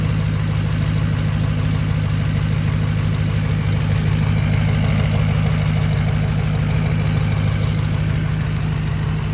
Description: 6.0 Powerstroke bad injector in cylinder #6.